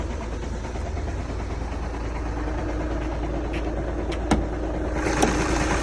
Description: Volkswagen Jetta TDI 2011 making this knocking sound,If anyone know what this sound is for kindly comment below and help me..Really appreciate that...